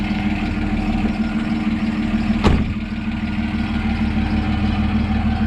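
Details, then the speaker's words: Ford Falcon bought cheaply and barely driven, idling with a slight belt squeak noted earlier: a loose, uneven metallic rattle rides on the idle, coming from the exhaust at the rear. Exhaust rattle. "see the exhaust rattling at the back"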